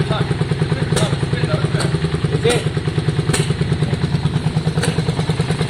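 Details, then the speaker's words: 2002 Yamaha Virago V-twin after carb and tank cleaning, started on a bit of choke: lumpy idle with an uneven beat and occasional sharp exhaust pops; intermittent spit, owner suspects plug leads swapped, changing the firing order. "guys, so we're just looking, it sounds okay, but it still has that spit."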